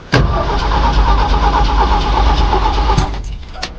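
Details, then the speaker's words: Cold Jeep cranking: steady, even cranking at nearly three pulses a second for about three seconds with no catch; the crank sounds even, with no sign of a low-compression cylinder, but the engine won't fire. "But you know, the crank sounds good. I will say that. The crank sounds good. It doesn't sound like, you know, we don't have compression in one of the cylinders."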